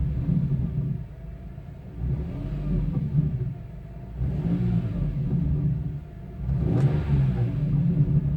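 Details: 2002 BMW E46 M3: grinding, buzzy rattle under deep engine rumble as revs rise and fall, worst on cold start and after lifting off throttle; catalytic converter element broken free inside an original header, vibrating in low-velocity exhaust.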